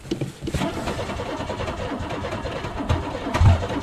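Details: Cold car being prepared for racing, not run since June: uneven cranking with a few ragged firings that flare and fade as it starts to catch after long cranking but won't yet hold an idle.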